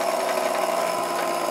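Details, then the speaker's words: 1950s Meccano E020 20V electric motor on 1949 T20 transformer, lowest setting: thin steady high whistle over light motor buzz; drive belt suspected slipping, possibly the motor. "And you can probably hear a little bit of a whistling. I think that's because this belt here is slipping on this side."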